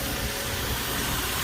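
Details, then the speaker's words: Infiniti Q50 3.7 VQ37, 156,000 miles, after spark plug and coil pack change: steady airy hiss over the idle; vacuum leak. "You can hear the suction leak."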